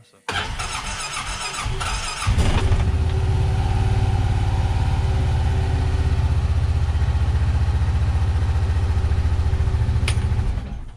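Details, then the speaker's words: 2015-up Honda Pioneer 700 fuel-injected single cylinder, twin spark plugs, cold start before iridium plug upgrade; about two seconds of labouring cranking before catching, then steady low thump; owner suspects small battery in cold. "okay so you can see how that starts i'm not really happy with that you know that actually that battery is so small it kind of puts a hurt on it especially when it's really cold out"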